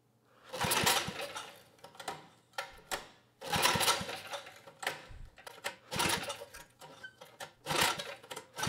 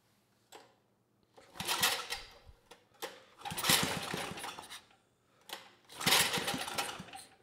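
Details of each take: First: 1980s Troy-Bilt Junior tiller, 3 hp Tecumseh HS35 engine, main jet opened one turn: catches in short ragged bursts then sags and stumbles, carb barely working; governor did close the throttle plate. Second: 1980s Troy-Bilt Junior tiller, 3 hp Tecumseh HS35, after cleaning the carburetor, throttle about halfway: took a few pulls, then revs in short bursts and picks up cleanly; runs great, idle about 1,000 rpm after pilot needle tuning.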